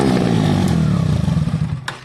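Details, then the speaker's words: KTM 125 with end can removed, no silencer: harsh, crackling, very loud raw blat dying away as the throttle closes; open exhaust, not good for the engine without back pressure. "That's what it sounds like. And to be fair, your Black Widow ain't going to sound much quieter than that, but it should be a little bit. You don't do that for long, guys. It's not great for an engine."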